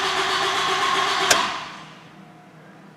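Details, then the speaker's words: 2007 Toyota Camry that quit while driving, cranked with a battery charger attached. It cranks steadily at about three compressions a second but never fires. No fuel pump is heard, only relay-like clicking under the hood; the timing belt seems intact. "don't hear a fuel pump, but I don't know if on these cars if you typically can. I do hear some clicking under the hood like a pump relay."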